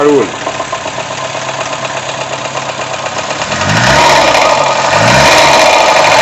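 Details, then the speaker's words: VW Gol 1.0 engine at idle with a steady, even knock of roughly three a second that gets much worse when warmer; cause not pinned down, the cylinder head is to be removed to inspect. "o barulho aqui barulho da contínua dá para desconfiar mas vou ter que remover primeiro o cabeçote aqui para ver se tem outra coisa aqui"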